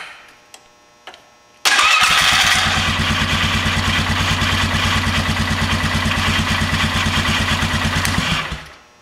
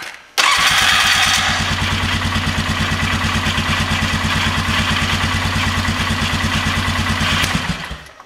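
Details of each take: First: 2000 Polaris Sportsman 500 ATV, test crank after starter replacement: even, fairly fast cranking with a slightly dragging, catching whir for about six seconds, as if something is hanging up, possibly rust; likely how it always sounded; starter cranking with hang-up sound. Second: 2000 Polaris Sportsman 500 ATV after starter replacement, test start: starter spins briefly (possibly hanging slightly), single cylinder catches and settles into an even, steady idle with no misses or knocks; clean healthy start.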